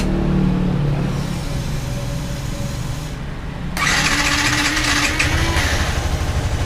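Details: Yamaha R15 V2 with misfiring (palyado) and hard-starting complaint: engine turns over, catches briefly, stumbles, then picks up with a rough uneven note; hard starting.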